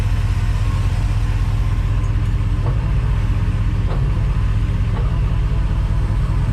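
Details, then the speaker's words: Crusader inboard boat engine idling in gear after the injectors were rebuilt and tested and the rails cleaned; deep, even idle with a steady beat, no misfire or hunting. "so there you go there we go running so much better"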